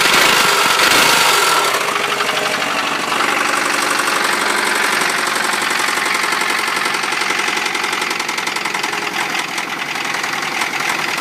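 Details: 1993 Honda Prelude with an H23A1 engine running with a loud, busy clatter and a roughly regular tick near four per second. The cause of the abnormal, knock-like noise is unidentified.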